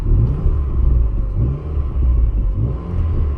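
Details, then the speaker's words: Ford Fiesta, hot after hard country-lane driving, with throttle blips. A deep, loud rumble that swells and fades, with pops and bangs, sounding like an aftermarket exhaust. It is louder than stock. Loud exhaust rumble. "Yo, because the car's hot now, listen. Genuinely sounds like it's got a Miltech exhaust. Sounds like your i30N."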